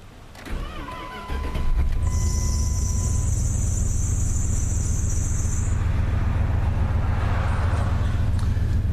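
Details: Ram truck V8 retrofitted with a vintage Mopar starter: brief brisk crank, engine catches and settles to even idle, short high belt squeal after start despite fairly new belt; normal cranking and start.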